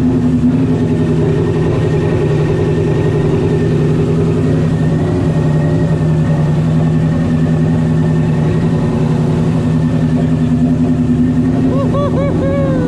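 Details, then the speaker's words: First start of an 800hp supercharged Coyote-swapped Fox body Mustang: lumpy, fast-pulsing V8 idle with a thin steady blower whine on top, smooth with no rattle or grind; normal supercharger sound. "blower sounds good y'all can hear that wiffle baby"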